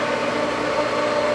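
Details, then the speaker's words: Pool pump at season opening: steady motor hum with thin whine while water slowly comes in and speeds up; slow priming, owner hopes no air is being sucked in. "And we do have water coming in. Slowly, it's speeding up. Hopefully we're not sucking any air from here, which would impede that, but we'll see."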